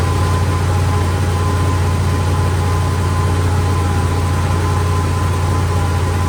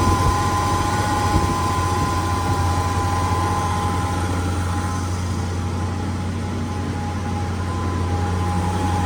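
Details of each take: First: 71–72 350 engine in a split-window Corvette coupe, not run in about 30 years, electric fuel pump, ignition jumped, warming up; steady, even low rumble at high idle, no dip or hunting, idle screw all the way out, fast idle. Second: 71–72 350 V8 in a split-window Corvette coupe, first run in about 30 years, electric fuel pump, warming up, idling fast with idle screw all the way out; even, steady low rumble, no misses or knocks, clean exhaust with no smoke, normal idle.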